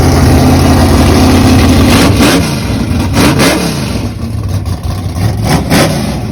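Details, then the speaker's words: 1962 Pontiac Catalina V8 with solid roller cam and 10.5:1 compression on pump gas: lumpy idle, then sharp throttle blips that rise and fall cleanly with no knocks or misses; healthy engine. "wow that thing sounds bad ass yeah that's a that's a bad Poncho man solid roller woo boy sounds good"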